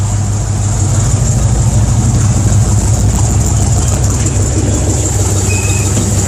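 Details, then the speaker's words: 1967 Dodge A-100 V8, first start after engine reinstall, running through new handmade three-inch side pipe exhaust: steady, even low rumble with a smooth idle rhythm and no knocks or misses; normal healthy idle. "oh ho that sounds so good oh those fights are wicked so the other side the side pipes"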